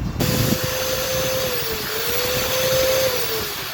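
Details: 13 mm impact drill after replacing seized bearing and regreasing gears: steady high whir at constant pitch, one slight dip then recovering, no rattle or grinding; runs smoothly after repair.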